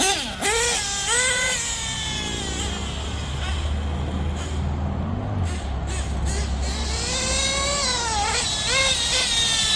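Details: Nitro RC buggy engine after LRP exhaust leak fixed, still tuning: high-pitched revs in clean smooth sweeps, crisp pickup, no sputter; normal running.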